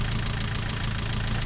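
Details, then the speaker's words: Mazda MX-5 NA with a misfire; a new Denso lambda sensor is fitted, replacing a 30-year-old probe. At steady petrol idle a light, fast tick rides over the hum, described as the typical NA tick from sticking valve lifters and considered harmless. "It turns out, by the way, that tickiness is a characteristic trait of MX-5 NAs. Particularly, it's referred to as the IATA tick in the US, and it's actually just because the valve lifters just tend to get a bit stuck."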